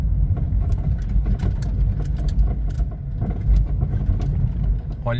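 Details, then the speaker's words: VW Gol-family car driving over bumps: sharp, irregular knocks from the front suspension over low road rumble, no steering wheel vibration felt; suspected steering tie rod end, possibly sway bar link or axial rod. "que barulho irritante e as pancadinha é forte então isso aí pode ser terminal de direção"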